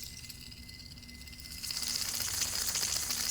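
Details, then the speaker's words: Ford 5.4L 3-valve engine out of vehicle: hand-spun idler/tensioner pulley gives a dry, gritty hiss and fine rapid rattle, a barely audible catch in the bearings; worn pulley bearing, being replaced. "This one you can just barely hear a catch in the bearings, and it's not going back on either."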